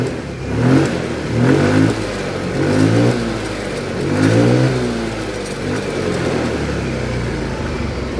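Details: Yamaha Mio M3 scooter after ECU replacement, which fixed its bogging and misfiring: small engine revs up cleanly in a few throttle blips, pitch rising and falling smoothly without stumbling.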